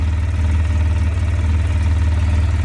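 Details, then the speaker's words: 2005 Polaris Sportsman 700 EFI ATV, just after replacing the worn OEM fuel pump, regulator and filter with a Quantum set: restarted after priming and idling slightly higher, just below 1100 rpm; smooth, even low rumble, healthy idle. "Does idle a little higher. Core is right around just below 11."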